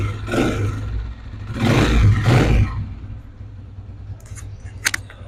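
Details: 125 motorcycle engine after repair of an engine noise problem; three clean throttle blips over a low steady idle rumble, rising and falling smoothly without knocks or rattles, sounds healthy.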